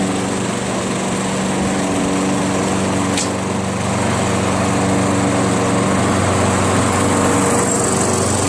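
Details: Craftsman 21-inch self-propelled mower with 6.5 HP Tecumseh engine, after a carb clean removing gum: runs smooth and even at steady high speed with no misses, surging or hunting; normal running.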